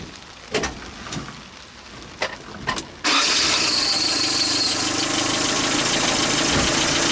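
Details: 1977 Toyota pickup engine after a new rocker arm assembly, warming up for a valve lash check: a few clicks, then it catches and settles into a steady, even idle without the earlier metallic clanking; running healthy.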